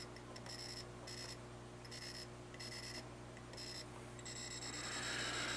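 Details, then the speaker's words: Atari Asteroids arcade PCB on the bench: a logic probe on the DAC data lines gives short high chirp bursts, about three a second and irregular, in a quiet room, confirming data is reaching the DACs. "Okay, so we do have data that's going through the DACs. Yes, we do."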